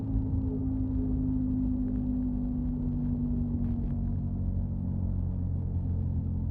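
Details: 2005 Subaru Outback while driving: steady low drone with a mid-pitched hum over road rumble; source of the hum and rattle not identified.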